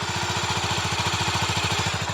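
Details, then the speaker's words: Honda GB500, after new tires and carburetor work, kick-started on choke: quiet, even single-cylinder idle off choke, pulses about ten a second, faint steady whine; fires right up, healthy. "she'll yeah she'll idle off choke it is so quiet that bike is so loud compared to this one it's so quiet it's so funny but it fires right up no problems"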